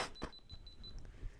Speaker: literally just died I wonder if you can hear the beeping in my microphone